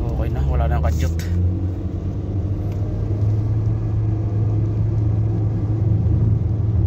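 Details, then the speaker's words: Nissan Sentra at 131,860 km, road test after repairing a cylinder 2 misfire (P0302) that had made it jerk: steady, even low engine rumble while driving, free of stumbles or jerks; runs smoothly with no misfire. "Check natin kung kakadyot pa siya o hindi na siya kumadyot-kadyot ngayon"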